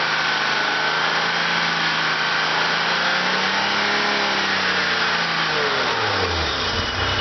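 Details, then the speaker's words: 1987 BMW 325e, running extremely rich, bad muffler: at idle with no throttle the engine note climbs slowly over several seconds, then sags and drops away instead of holding steady. Idle hunting; cause unconfirmed. "So then it's going to do the same thing where it goes up, comes down, up, down. And it'll do that no matter what."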